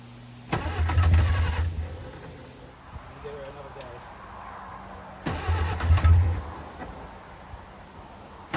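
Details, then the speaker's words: 1959 Reliant Regal Mk5/Mk6 three-wheeler unrun 20+ years, on full choke (choke not adjustable), fuel trickled into carb; two short cranking bursts that catch and fire briefly before fading, heavy smoke, oil pressure showing; normal start. "It's on full choke and I can't adjust the choke. Right, let's see if we can take her off a choke now and see if we're quick enough, if she'll carry on going."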